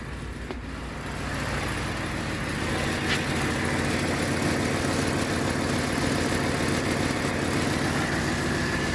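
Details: Ford F-150 5.4 Triton 3V V8 after replacing exhaust manifold with broken studs; smooth even idle, steady low rumble, no ticking or exhaust puffing, previous noise gone, sounds like new.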